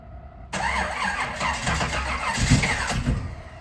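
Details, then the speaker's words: Garage-find 1969 Camaro ex-show car, V8 parked for years, started after filling the carburettor float bowl: cranks, catches and settles into a loud lumpy muscle-car rumble with throttle blips; runs fine, needs some tuning. "wow that is awesome she sounds like a muscle car a little bit of the tuning and we'll be ready to go"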